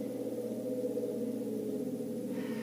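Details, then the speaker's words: Gas furnace draft inducer motor, system off, spun by hand: a ringing, howling drone that hangs on as it coasts; worn inducer motor bearing, the source of the loud furnace howl, before motor replacement. "this right here is my inducer motor so i'm going to go ahead and spin this [Music] and that to me is a bad is a bad bearing"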